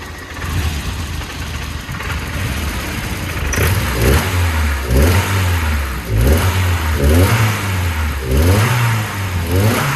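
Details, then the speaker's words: 1984 Volvo 240 with LH 2.0 ignition module swapped in, idle air control hose was unplugged: pings lightly under load, rough idle hunting around 800 rpm and jumping, revs freely; owner plans to adjust distributor timing. Suspected detonation and rough idle. "I'm gonna have to adjust the distributor timing, because it pings a little bit and the idle's rough, but it tries to idle at 800 RPM and it jumps a little bit"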